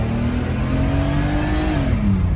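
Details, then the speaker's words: 1990 Mercedes 300E W124 on the road after an arcing coil pack was replaced. It pulls cleanly from a stop with no sputtering or stumble, and the dash clicking is gone; normal acceleration. "this is great as I approach a stop no sputtering nothing then we can uh just take off"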